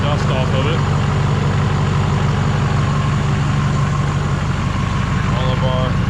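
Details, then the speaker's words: GM Duramax LMM diesel pickup at idle after engine replacement, new muffler fitted, nearly 60 psi oil pressure and charging well: smooth, even clatter with steady low rumble, no knocks or misses; healthy idle. "cab bolts are in new muffler sounds good have to double check that light but you can see here we're still holding almost 60 lb of oil pressure we're charging good"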